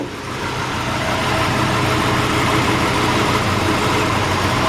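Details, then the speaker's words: 1961 Chrysler 300G, after fuel tank drained, tune-up and carburetors cleaned: starts right up to a steady, even idle with smooth low rumble, no knocks, misses or ticks. "engine fires right up this is what I spent my money on we took it to the shop pulled the tank out drained all the old gas gave it a thorough tune-up cleaned the carburetors"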